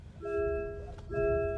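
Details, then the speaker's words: MG ZS EV before the comfort software update: two-tone bong repeating about once a second, the constant passenger seatbelt reminder for an unbuckled passenger, stopping once buckled. "as you can hear now I've got my wife sat in the passenger seat without the seat belt on and this is how its bonking so if you put your seat belt on this is the constant bonging it does"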